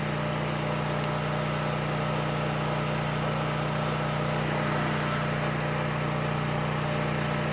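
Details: Coleman Powermate 6560 generator, after the fix for running only on choke (carburetor gaskets had been in the wrong order; oil was overfull and smelled of gas), under a 1000 W heater load: steady, even hum, constant pitch, no surging or misses; normal running.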